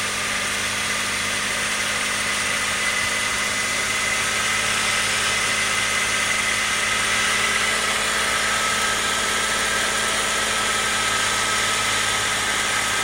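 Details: BMW 330i idling: steady hum with hissy high whir and faint thin tone, very clear inside the cabin but almost gone when standing in front of the car; abnormal noise, source unknown.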